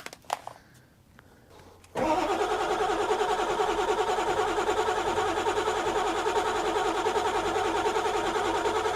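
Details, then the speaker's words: 1997 Ford F-350 7.3 turbo diesel with a new starter, project truck with a fuse that keeps blowing: a couple seconds of cranking, then it catches and settles into a steady, even idle with no misses; starts and runs fine. "oh yeah well sweet it's running that's all I can really do to it today"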